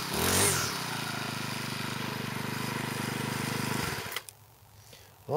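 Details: Troy-Bilt four-stroke weed eater after clutch repair, cold on half choke, likely original oil; buzzes evenly at a fast steady pace with a thin high whistle on top, holding speed cleanly; runs really good.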